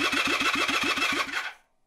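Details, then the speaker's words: 1978 Honda CB400T with heavier battery fitted, kill switch engaged: brisk, even cranking about six turns a second with steady compression pulses, oil pressure light goes out; starter spins engine strongly, though no spark found. "it does crank it sounded pretty good and we get oil pressure"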